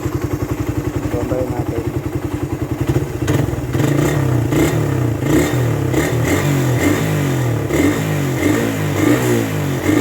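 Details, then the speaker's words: Raider 150 carburetor motorcycle, hot engine revved: loose irregular light clatter from the head over the exhaust, rising with revs, silent on cold start; cause unconfirmed. Top-end ticking. "ang nararamdaman nararamdaman ko lang naman siya kapagka mainit na yung motor pero kapagka malamig ung bagong andar walang ingay yung motor ko tahimik siya"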